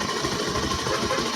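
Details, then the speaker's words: NS160 FI motorcycle running: busy metallic rattle from the magneto side; suspected worn, grooved loose crankshaft taper where the magneto rotor mounts, or a magneto fault. "Ito na kasi yan kumakalansing. Dalawang klase yan. Maaari yung crank shop na kinabitan kasi may mga uka na maluwag na."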